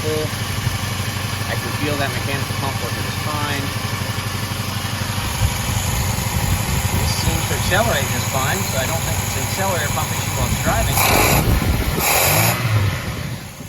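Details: 1987 Dodge Ram 50 carbureted truck that had acted fuel-starved, checking fuel pressure and volume during a filter change: cold start after sitting overnight, catches cleanly, settles to an even idle, revs smoothly with no stumble; fuel delivery fine.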